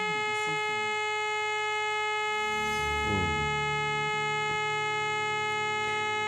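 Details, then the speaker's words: Orion R545A radio on AM band during alignment, with a 455 kHz IF signal injected from an RF generator: the alignment tone comes through clean and steady over a faint hum, so the IF and audio stages are passing signal. "okay let's switch on the radio you see the pilot light is on well and there is the alignment signal and you can hear it it's quite clear"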